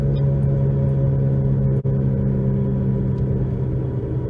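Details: 2011 Nissan Rogue FWD with new balanced tires, coast-down from 60 mph before replacing both front hub bearings; steady low droning hum holds throughout, with slight pedal and steering vibration; worn front wheel bearings rather than tires.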